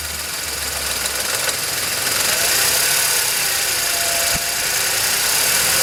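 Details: VW Polo 9N 1.2 12V three-cylinder, 198,000 km, at idle: quick metallic knock about three times a second over the running note that developed over time and is heard only at idle; the owner suspects the timing chain, unconfirmed.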